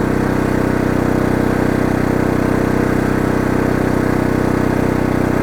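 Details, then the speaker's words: Oxseryn 2500 W inverter generator in eco mode carrying about 885 watts from a heater on low. A smooth, unchanging drone with a steady low hum and no hunting, surging or misses; no problem and very quiet. "And notice, no problem with this generator, especially on eco mode. It is really quiet."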